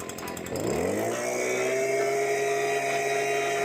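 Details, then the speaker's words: STIHL BG86 hand blower that wouldn't rev up, after carbon cleaning, before carb adjustment: two-stroke revs smoothly to a steady high buzz and holds evenly; running clean with no stumble. "You can hear it. I can feel it. That's already sounding a ton better."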